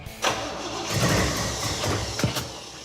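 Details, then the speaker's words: 1973 El Camino with GM performance 454 big-block crate engine, four-speed, bad cam suspected: catches after a short crank and runs lumpy and uneven with stumbles; ignition timing far off despite added advance. "except for the timing being way wrong it's kind of weird cuz we put a lot of Advan into it don't we"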